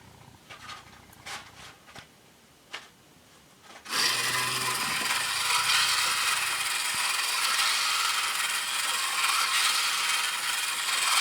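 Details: Kamco Saturn/Iron Man toy robot from the early 1980s, run on battery: small motor whirs steadily with a high, even buzz and light ticking ratchet as it cycles between display and leg gears; gearbox runs smoothly and healthily.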